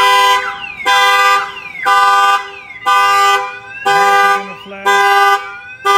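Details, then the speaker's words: Newly installed Viper 5706V alarm on a Chevy Silverado (2003 spoken, 2013 in description), armed, door opened without disarming: siren chirps sweeping up and down with horn blasts about once a second; pager shows alarm, kill switch prevents cranking. "let's see if somebody was to open the door without you an arming your alarm system if somebody wants to open the door it's going to show you on here that your alarm is going off"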